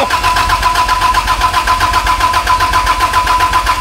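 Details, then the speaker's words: Toyota 80 Series LandCruiser, first start attempt with coils plugged in and brake cleaner added: starter churns steadily about four beats a second with a whine but never fires; no spark, crank/cam sensor polarity being checked. "Nope. No spark."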